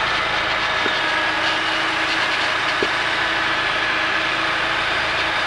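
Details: 1998 Ford Taurus 24V with 76k miles, hard to start, idling cold: a steady thin buzz over the hum with no knock, source unknown. It goes away after a few miles of driving; plugs, alternator, belt, cam and oil pressure sensors were recently replaced.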